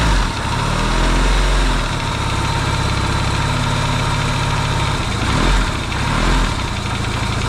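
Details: Yamaha XS650 twin refitted to the bike frame, first start after work to cure oil burning: a steady, even idle with a smooth low pulse and no pinging or banging, though smoking, hoped to be break-in.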